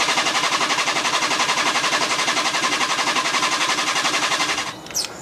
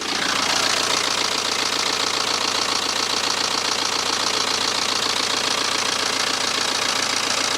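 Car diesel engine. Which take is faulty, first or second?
first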